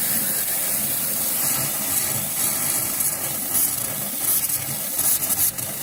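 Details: After a hot water tank replacement, the valves are opened upstairs to burp the lines: a hissy rush with uneven spits and sputters as trapped air purges from the hot lines, which is normal.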